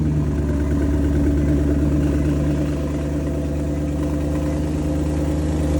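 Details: 2014 Maserati GranTurismo with 36K miles at idle: steady V8 drone with a faint, uneven clatter about three times a second underneath; abnormal engine noise, source unknown, owner trying to diagnose.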